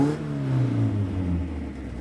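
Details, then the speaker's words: 1971 Datsun 510 barn find, L-series engine: deep, raw, blaring drone swelling with revs, far too loud, because the rusted exhaust snapped off partway leaving only half an exhaust. "I know it's all snapped and broken it was too rusted so it snapped so I've only got half an exhaust I mean it sounds bloody ridiculous"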